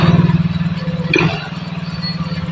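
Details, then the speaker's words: Yamaha Mio J/Soul GT scooter that was hard to start and idled erratically, just restarted after cleaning the injector: fast, even putter held well above normal idle, not settling; idle speed set too high, likely adjustable via the idle screw (suspected). "Mas Oke motor sudah berbunyi sebentar kita dengarkan dulu Mas E ini RPM kegedean ya Nah kemungkinan baut ini ya nanti kita benerin mas ya ini ee bisa di-etting"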